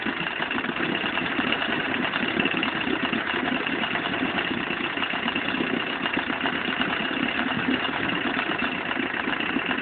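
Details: Ветерок-8 outboard motor at steady idle with a fast, even tapping knock running through the drone; internal engine knock, cause not yet found.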